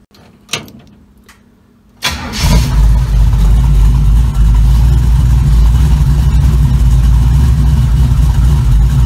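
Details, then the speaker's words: 1936 Chevy coupe, started for a drive after a gas pedal install: engine catches after a couple of cranks and settles into a deep, steady, even rumble with no knocks or misses; normal running, though the brakes are too soft. "car sounds good though"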